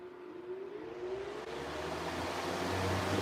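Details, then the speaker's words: Revived 3733 fan motor: a hum climbs steadily in pitch as it spins up from rest, with the pronounced startup sound these motors are known for and no rubbing or clatter; normal motor startup. "yep it's got that pronounced startup sound that these motors are known for and now the blade stuck there we go"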